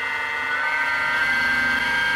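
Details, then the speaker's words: Mini milling machine with a 1 HP servo motor at 1760 rpm, on a plywood-mounted stand: the spindle spins fast with a high hum and a slight waver; the cutters are out of balance, causing vibration at spots. "you hear it there's spots in it where it goes out of balance"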